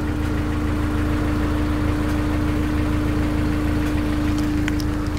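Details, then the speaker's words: Honda S2000 engine at warm idle: steady hum with faint light metallic slapping tick underneath, early sign of failing timing chain tensioner, before replacement with an aftermarket tensioner. "it's a little bit hard to tell, but it's there if you listen to it a little bit when it's not cold, just a little warm, and maybe not all the way warm, but it's the first signs of the TCT starting to go bad."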